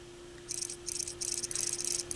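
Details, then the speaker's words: Technics SL-B30 turntable motor: steady low hum with quick dry clicking about twice per second, an intermittent tapping inside the motor that stops when light finger pressure is applied to the motor; motor could not be disassembled, playback unaffected. "if I push a little bit down here clicking goes away so I'm just applying a little bit of pressure with my with my finger right there clicking goes away"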